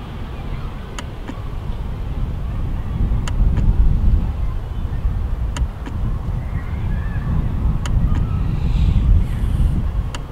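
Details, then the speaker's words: Tesla Model 3 on software 2018.44.2, microphone right at the charge port: sharp little double ticks about every two seconds over wind hiss; the charge port lock cycles once charging stops and the light turns light blue. "So when it's charging, it locks and you can't hear a ticking noise. But when it stops charging, and it just sits in there and the light goes baby blue here, that's where the ticking noise comes back."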